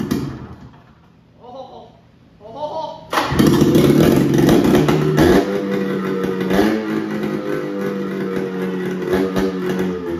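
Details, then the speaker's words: 1978 Polaris Cobra 440 two-stroke snowmobile engine, first start after fresh gas and priming down the intake: silent cranking, catches at three seconds, raspy uneven idle; owner says it's running lean, not confirmed; rough running. "oh man that stinks she lives she's running mean lean and uh she sounds like a fighting a Sheen here"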